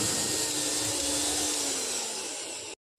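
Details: Bajaj mixer grinder after a motor replacement and 3-speed wiring, tested on direct line after a series-bulb check: smooth, steady high whine across speeds 1 to 3, easing down slightly before a clean switch-off.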